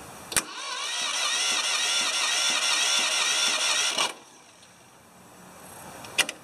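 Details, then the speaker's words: 1980 or 1981 Ford 2600 gasoline tractor with a replacement starter, after a carburetor rebuild and temporary fuel tank: a quick, even starter whir for about four seconds with no grinding or clicking. The starter is healthy. "starter sounds much better than the old one so uh well i guess when you replace everything on the tractor it uh it runs"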